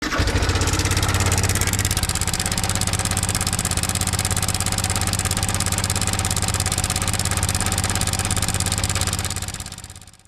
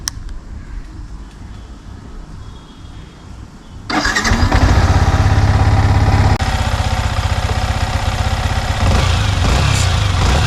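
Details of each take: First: Idling Yamaha MT15 single-cylinder engine with a loud metallic clatter over the thump, from a slack timing (cam) chain caused by a faulty cam chain tensioner. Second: Yamaha MT15 single-cylinder engine idling evenly with no top-end rattle after replacing the faulty cam chain (timing chain) tensioner; irritating engine noise fully removed.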